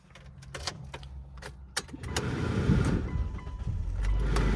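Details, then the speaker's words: 2002 Mitsubishi Lancer, automatic, 35,000 miles: a few light clicks, then the engine catches quickly and settles into a smooth, steady run with no stumble; starts right up, normal start, no warning lights. "Starts right up without much drama."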